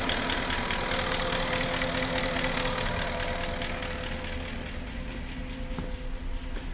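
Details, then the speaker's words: Porsche Cayenne at idle after replacing both fuel pumps, wiring harness repairs and a new engine speed sensor: light, fairly quick ticking from the top end over a steady idle. Top-end noise said to be normal on older Cayennes. "Alright, now let's start it up. Perfect. Car starts. Little bit of knocking noise."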